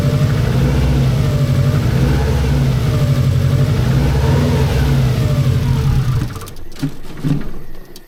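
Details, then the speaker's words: 1990s Japanese turbo AWD rally-bred saloon, first start after over a decade stored in a barn, recorded indoors: deep, even engine note with strong low rumble, revving smoothly and settling back, no knocks or misses; normal idle and revving. "oh [Music] it sounds even better the sounds hitting the the far walls"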